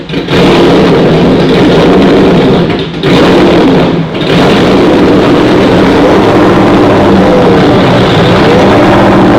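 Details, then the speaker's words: Freshly refreshed 2011 Ford Mustang GT, new Coyote V8, first startup before the dyno: extra idle air added, loud steady fast idle at about 1100–1400 rpm, still slightly high idle; wideband sensors not reading. "so we got the car idling at about 1100 to 1400 RPM still on a little bit of high idle but we are still flying blind with no wideband sensors"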